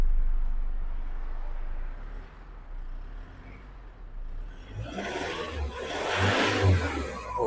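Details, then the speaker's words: 2006 Isuzu D-Max Hi-lander, 2.5L diesel, manual gearbox, original engine: quiet idle, then a clean rev rise and fall without stumbling or knocking; engine doesn't shake and produces no black smoke. "ฟังเสียงเครื่องประมาณนี้ครับเครื่องไม่สั่นไม่สะดุด"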